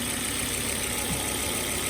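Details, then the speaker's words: Cheap first-gen Volvo XC70 five-cylinder with check engine, ABS and airbag lights on: a quiet, even, steady idle with no knocking or ticking; normal idle. "Otherwise, you can hear, sounds pretty decent, nothing too crazy."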